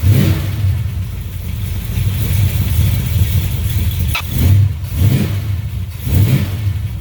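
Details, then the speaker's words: 1970 Plymouth Duster after swapping in a new starter relay, started via crank then ignition switch; catches and settles into lumpy idle with three clean blips; starts normally, odd start blamed by owner on locked-out timing hot on advance. "Okay, so that was it. The reason that it started funny was because I have my timing locked out, so it's a little bit hot on the advance."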